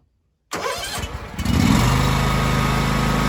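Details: John Deere X300 riding mower, about 747–774 hours, with a weak transmission. Brief cranking of about a second, then it catches at once and settles into a steady, even idle: the engine started right up and ran as it should.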